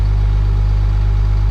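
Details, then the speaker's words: CAT-powered Ford F350 diesel just started after new front-to-back fuel line install, running to bleed air with fuel pump disabled; sight glass showed no air: deep, steady idle, even low rumble, no stumbling or surging. "Let's go ahead and fire it up and bleed the air out of the system. So yeah, we'll let it run for a minute, make sure all the air is out of the system."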